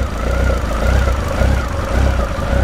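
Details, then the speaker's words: Honda CB1300 after full rebuild, third or fourth start: idle surges and sags about twice a second, rev counter bouncing as if trying not to stall; idle speed suspected too low, not confirmed. "When you look at the speedometer, when you look at the rev counter, it is bouncing. As if she's trying to prevent herself from stalling. And maybe the revs need to be tuned up just a little bit."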